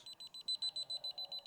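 A high, shrill beep repeats rapidly, about seven times a second, steady and even: the detector's gas-detected alarm.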